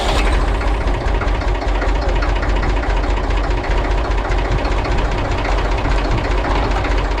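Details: Massey Ferguson 35 diesel tractor, both shift levers in neutral, after replacing the bad neutral safety switch that caused intermittent no-crank: loud, low clatter at about two and a half beats per second, no misses; normal idle.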